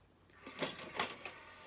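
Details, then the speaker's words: 2001 Sony CMT-CP300 three-disc CD changer after loading belt replacement: short whirring mechanism runs with sharp clicks and clunks as the changer cycles; this noise is normal for these units. Normal CD changer mechanism noise. "these units are quite noisy as you can hear it's perfectly normal in fact if it's not making this noise and there's something wrong with it"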